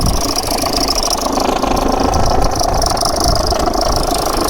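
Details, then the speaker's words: Holden/Chevrolet Epica VCDi diesel, 217,000 km, with suspected failing timing tensioner: lumpy, uneven idle, the beat wandering instead of settling; rough idle, cause unknown. "We'll start her up. And as you can hear, the engine wants to escape."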